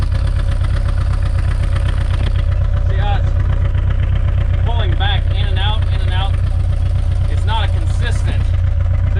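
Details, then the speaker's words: 1990 Ford Ranger with new remanufactured long block, after fixing PCV vacuum leak: steady low idle with uneven lumpy exhaust beat about four pulses a second, exhaust pulsing at tailpipe; owner suspects an exhaust valve hanging open. "you can kind of watch it hit back and forth definitely got an exhaust valve hanging open"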